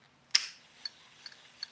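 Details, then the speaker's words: SoloKing Acura BFS baitcasting reel: faint, sharp clicks about every 0.4 s from a loose spring washer in the spool tension knob (owner thinks another washer is needed); the reel is otherwise still smooth. "one of these is clicking the uh spool tension but this thing is like still smooth"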